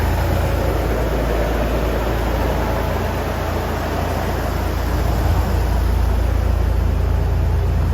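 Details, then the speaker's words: Third-gen Toyota 4Runner V6 just after an oil and filter change with five quarts: steady, even low idle rumble with no knocks, misses or ticks; running smoothly. "let's fire it up [Music] her and like a kitten so let's get out and check for leaks"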